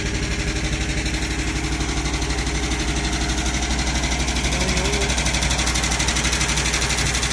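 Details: Abandoned 1973 Dodge truck V8 with points ignition, unstarted for about 20 years, just revived with a warrantied starter and poured-in gas. Steady, quick, even beat at fast idle, firing cleanly with no misses or knocks.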